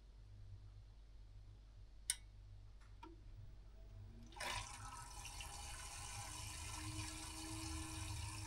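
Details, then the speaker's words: Central heating circulation pump just replaced with a new pump and valves: it starts with a soft rising hum under flowing water and settles into a quiet, steady run, much quieter than before; normal pump operation. "already. He sounds much much quieter."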